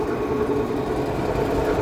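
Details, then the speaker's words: Rebuilt make-up air unit blower with new filters, running about 607 rpm: steady blower roar with a faint rough, gritty undertone on both sides; bearings suspected dry and due for grease, not confirmed. "Kind of sounds like the bearings are dry. So, we're probably going to grease these bearings, too. I hear a little something in there on both sides."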